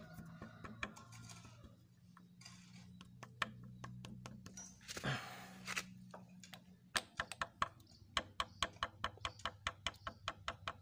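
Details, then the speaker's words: Yamaha Vega ZR engine opened with head and magneto off: connecting rod pulled forward and tapped by hand gives quick metallic taps with a loose clack; worn big-end bearing, which would knock very loudly when running. "Nah, kedengaran kan? Nah, ini kalau keadaan motor bunyi, kalau sedang hidup, ini bunyinya akan sangat keras."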